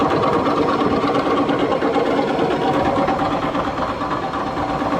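A loud, steady running noise with a rough, uneven knocking rattle of about three beats a second, typical of worn shaft bearings.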